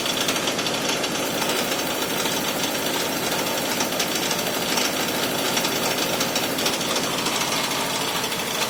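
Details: 2001 Toyota Camry with a severe rough idle: heavy, uneven hammering knock pulses and shaking throughout; smoking and a burning smell noted, cause unknown.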